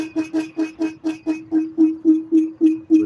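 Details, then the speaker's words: Laotie Ti30 scooter rear hub motor under throttle: humming tone pulses on and off three to four times a second, erratic jerking with no torque, triggered when pushed forward; new problem, cause undetermined. "Does that. And then it stops again. So it's acting erratic and jerking and making that sound"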